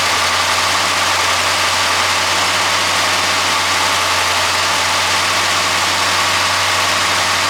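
Smooth, even idle with a steady low hum and no knocking or rattling; this engine is running healthy.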